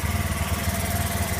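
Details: Honda Zoomer X scooter that would not start, idling after a new fuel pump motor was fitted. A pressure gauge is teed in, so true pressure is likely higher. The quick, even putter has a steady beat and no misses or rattles. Normal idle.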